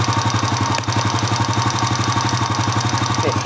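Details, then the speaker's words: Honda Astrea Impressa (same engine as Grand Supra/C100) warm idle: fast sharp "itik itik" tick about four per second appears once engine temperature reaches about 60 and grows louder as it heats up or is revved. "Kalau kita ngecek ini sudah mulai muncul suaranya ada kan itik itik itik noh sekarang berapa nilainya 60 di 60 sudah muncul"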